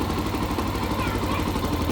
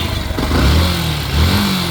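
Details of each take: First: Yamaha FZ-S motorcycle idling: uneven scraping rattle over exhaust beat, sound changes with throttle; mechanics might blame a bearing, but cause is lighting coil behind magnet cover, fixed without opening engine. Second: Yamaha FZ S motorcycle after replacing the faulty part, new one fitted with 2 nuts: engine idles and blips up cleanly with an even low beat, no rattle or whine, earlier noise gone; normal running.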